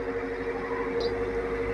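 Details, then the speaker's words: Hatari 16-inch wall fan with oscillation switched on: steady mid-pitched drone, noisy only when oscillating; the faulty oscillation gear motor was replaced to fix it. "ๆนเนี่ยพอหมุนแล้วมันมีเสียงได้ยินเสียงมยนะหมุนมีเสียงเพราะฉะนั้นปัญหาเกิดจากดักระบบเฟืองเนี่ยกับมอเตอร์เนี่ยนะ"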